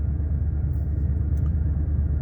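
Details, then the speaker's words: 2003 Ford Expedition 5.4 V8 restarted after the idle air control valve was replaced; it used to stay at about 2000 rpm on startup. Now a smooth, even low rumble with no knocks or surging. Settled to a normal idle. "all right looks uh looks like we got it i'm hoping it's idling down nice like i said before this would be at about 2000 rpms"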